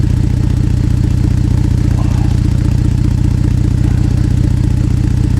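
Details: Ford Flex EcoBoost idling on a below-zero winter day with a broken flex pipe, before a cheap wrap repair: a loud, sharp puffing rap at each firing pulse, about two and a half per second, from the exhaust leak at the broken flex pipe.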